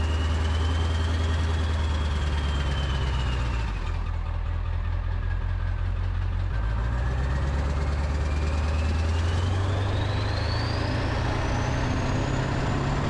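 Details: Ford 7.3 Powerstroke, just after first start with new KC turbo, plenums, up pipes, oil crossover and fuel bowl reseal: deep steady idle with a thin turbo whistle sweeping up and down. Owner says much stronger, idle changed, perhaps crossover tube.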